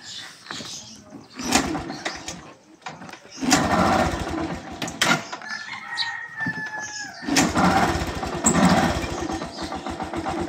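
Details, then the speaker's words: Yamaha YTX125 motorcycle, battery at 10.5 V and draining again 4 days after burnt wiring was repaired and the regulator replaced: sluggish, labouring crank bursts that never catch. Weak cranking from the discharged battery, with unstable voltage. "Ayan, di siya naka-start. 10.5 yung volts niya. Pag i-start natin, mahina battery."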